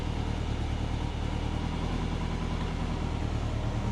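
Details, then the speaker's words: Subaru Forester on Haltech ECU, idle fixed after TPS misread 22% open causing rich running; timing blocked at 15° in idle cells to idle near 1100 rpm instead of 2200–2500: steady, smooth idle, small fuel corrections, slightly rich. "Yeah. All right, sounds better. Getting some corrections, not much. It's pretty good."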